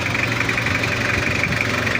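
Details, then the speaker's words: Toyota Kijang diesel after cylinder head service and chamber replacement, liners scored and worn: even soft idle with steady clatter and no heavy knock or hunting; engine sounds fine, slight thin smoke noted. "kita coba start dulu untuk mesinnya aman Lur enggak ada kendala cuma meskipun baret di dalamnya e liner boring udah ngantong tapi dia tetap aman suara bisa dapat"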